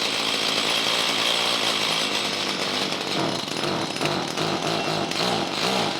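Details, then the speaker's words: Stihl hedge trimmer with a HIPA replacement carburetor and fresh fuel, locked on high throttle after starting: high buzzy two-stroke note with uneven, stumbling pulses and hesitation; running lean, mixture adjustment needs opening up. "Okay, we're going to have to open up the adjustment a little bit because we're getting a little hesitation."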